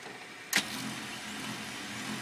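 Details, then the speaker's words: HP LaserJet P2055 printing in quiet mode: a click then a soft, even whir with the loud hum gone but print speed reduced; a fuser overhaul with new film, bushings and roller had not helped. "в принципе не громко совершенно работать спокойно но скорость у нас печать и упала до страшного под зеркало главное не гремит всем спасибо"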